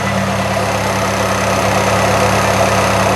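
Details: 1998 Fiat Cinquecento started cold right after a radiator replacement, before the thermostat opens and before bleeding is finished: smooth, even idle with a steady low note and no misses, ticks or knocks; engine sounds healthy.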